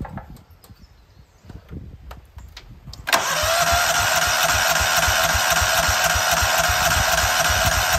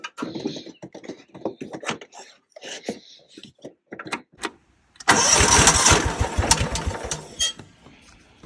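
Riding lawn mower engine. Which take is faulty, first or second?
first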